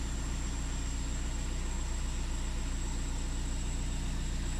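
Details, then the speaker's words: VW Sharan 7N2 2.0 TDI 150hp after a diesel filter change, with the circuit bled by the VCDS-activated lift pump: the diesel catches promptly and holds a smooth, low, regular idle, a normal start. "Maintenant, normalement, le circuit est purgé. Un petit démarrage. Voilà, donc un démarrage normal."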